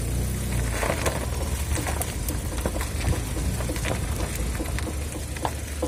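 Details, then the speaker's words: Mitsubishi Pajero iO: quiet low running with irregular sharp knocks from underneath. The owner suspects the driveshaft universal joint, which knocks when rocked by hand; on removal it is found dry of grease and rusted, likely the source. "Надеюсь, поможет замена крестовины убрать этот шум."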